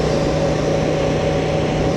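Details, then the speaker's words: 2025 Honda Transalp 750 on stock Karoo Street tyres, ridden at indicated 100 km/h (about 95 real): steady mid-pitched banshee-like tyre whine over low road rumble, fading below about 90 km/h; noisy tread singing. "only to be greeted with a freaking like a banshee hell at 100ks. So I'll go up to 100 again now to show you that I'm not bullshitting."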